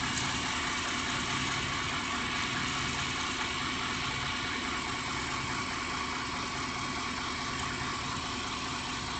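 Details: 1993 Chevy van with a 350 engine, rebuilt transmission and new torque converter: a dull knock about twice a second with shaking in park and neutral slightly above idle. The owner suspects a balance issue, possibly the torque converter.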